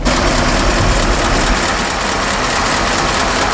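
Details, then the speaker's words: 1952 Ford F4 farm truck, mild restoration, 43,000 miles, already run that day so warm with no choke, in neutral, heard from outside: even, quiet idle with a steady low tractor-like thump, no knocks or misses; normal warm idle. "Okay, she's running. You probably hear it. You're not going to see much. I mean, it is quiet, quiet, quiet. Everything works just as it should."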